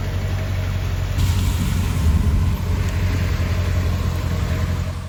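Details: Dodge Charger idling after a jump start: a smooth, steady low rumble without knocks, ticks or stumbles. The engine idles evenly and sounds healthy.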